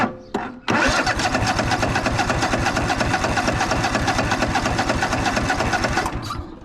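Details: Craftsman DYS4500 riding mower with 26 hp Craftsman Courage engine, sat over a year: starter churns evenly about five seconds, cranks without firing, fuel-starved; owner cleaned a gummed-up part under hood, later a fire started, suspected critter nest.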